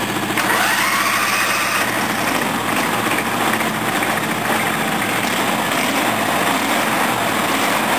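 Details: Briggs & Stratton 14 hp OHV V-twin tractor engine, already running fine, test start: catches quickly, then a steady, even patter with no stumbling or knocking; clean, healthy idle.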